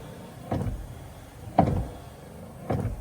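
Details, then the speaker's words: Peterbilt 379 cab, speed-controlled windshield wipers at full speed after a fuse was replaced: three loud swishing sweeps about a second apart, each with a dull thump at the turn, rowdy knock suspected from the old steel linkage rods. "say the truck's going to be so loud, we won't hear that little knock."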